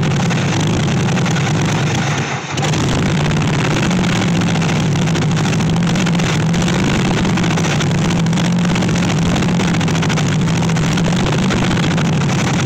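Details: 1964 Chevy Impala SS Convertible V8, long-sitting project: low drone with an irregular, loping, wandering beat; rough running because ignition timing is still all over the place.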